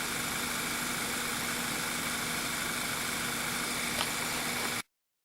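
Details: 2009 VW Eos 2.0 TSI (engine code CCT) after the rear main seal repair: a smooth, even idle with no stumble or miss, fuel trims cycling near zero and no misfire counts on the road test; running normally.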